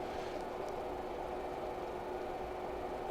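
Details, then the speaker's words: Lavolta BPS-305 30V 5A DC bench power supply, mic moved close: quiet, steady airy whoosh with one faint relay click near the end; the cooling fan is noticeably noisy. "u can immediately hear that it's a bit noisy you can hear the relays clicking when it powers up and you can also hear the fan I'm gonna put my mic closer to it you can definitely hear the fan"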